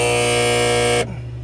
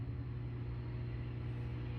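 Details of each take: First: 2015 Frymaster FPEL314CA triple electric fryer, 208 V 3-phase, cycling heat while boiling out a dirty pot: loud harsh electrical buzz cutting off sharply to a faint hum, from the stuck heat contactor (its button won't come up); contactor needs replacing. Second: 2015 Frymaster FPEL314CA triple-vat electric fryer, 208 V 3-phase, after replacing the stuck, noisy heat contactor: steady low hum, then one clean snap as the contactor pulls in with no chatter or buzz, normal cycling.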